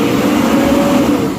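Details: Isuzu Trooper after repair of misfire and boost faults, with the throttle position sensor wiring fixed and the TPS tuned: a steady, strong engine note holds an even pitch and fades slightly at the end, smooth and clean with no knocks or misses.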